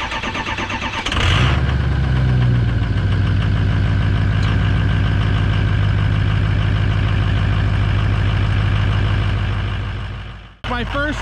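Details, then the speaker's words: 2005 Ford F350 6.0 Powerstroke diesel, cold start after sitting overnight with a new FICM replacing one with low voltage that wasn't firing injectors properly; brief crank, quick catch, strong steady even idle, loud injector buzz, sounds healthy. "with this new uh ficken from ficken repair the injector buzzer is a night and day difference it's so loud it sounds healthy"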